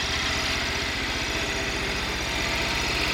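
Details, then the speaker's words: Cub Cadet 1100 single-cylinder standard-bore engine, recently regasketed, burns no oil: steady, even, quick idle beat with a faint loose rattle on top, quiet with no rod knock; normal healthy idle. "pretty darn quiet. But I'm pretty sure the thing doesn't have a rod knock because it hasn't had any."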